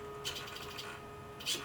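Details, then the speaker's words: WFly X9S transmitter with an analog (normal) servo while servo type is set to digital; steady mid-pitched electric buzz, servo cannot find center; fixed by setting servo type back to normal. "Okay, that's what it does when you run a normal servo with a digital transmitter. You can hear it buzzing, and there's no way,"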